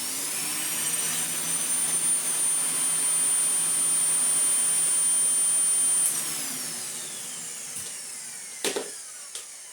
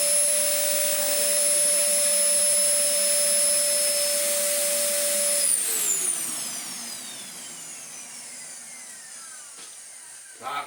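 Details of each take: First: Mouldy Dyson DC04 Zorbster vacuum stored two years in a shed. Its motor whine is lower-pitched than normal, then spins down. It runs slow because a missing bin piece fails to hold down the button for full 230 V operation, and it may also sound rough. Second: Dyson DC04 Zorbster carpet cleaner, stored two years in a shed and earlier running at half speed, now plugged back in at full power: high, steady motor whine at constant pitch, then falls smoothly as it spins down; motor runs healthily.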